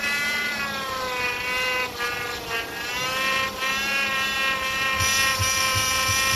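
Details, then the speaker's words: 2008 Chevy Impala power steering, noise persisted after pump replacement: steady high whine rising slightly with revs; air bubbles visible in reservoir, aerated fluid from air sucked in, likely suction side. "That noise? Here you go. Look at that. Those are bubbles. See? Alright, that's your noise."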